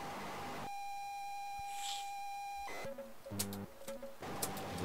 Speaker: doesn't want to load oh doesn't sound good either try it again we'll rewind a bit